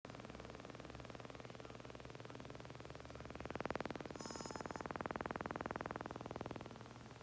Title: Mavic Pro - Gimbal strange noise